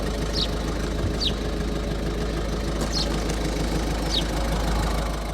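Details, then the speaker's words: Warm 2011 Ford Focus 1.6 TDCi diesel (suspected injector problem) after 10 minutes idling: even, steady clatter with no dips, misses or hunting; normal idle, though it later chugs with a slight misfire. "So it's been idling now for 10 minutes. It's perfect. I'm not saying it's perfect because it isn't perfect, but it's idling perfect."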